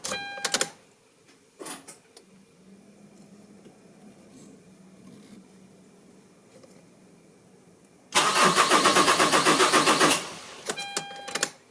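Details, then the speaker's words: 2006 Mercedes C200 CDI after fuel filter replacement: starter churns evenly at about four compressions a second, engine never fires, no electric pump heard; air in the diesel line. "je n'entends pas comme la pompe électrique, on n'entend rien."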